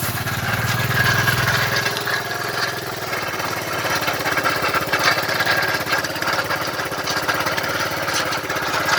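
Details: 2006 Vespa GT200, about 5,000 or 15,000 miles, coolant almost empty: rough-running engine with a metallic scraping clatter about three per second at idle. Owner suspects rod knock; cause unconfirmed.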